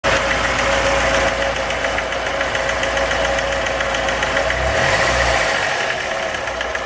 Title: Стук в двигателе РеШН